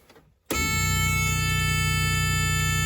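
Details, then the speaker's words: Ford Escort Mk2 rally car with random no-start problem (owner suspects a weak earth), restart test: silence, then fires at once and settles to a steady even idle, no misses; starts normally, not yet known if fixed. "now yeah that seemed right [Music] I don't know if that means it's fixed or um cuz it was a bit random with the starting previously"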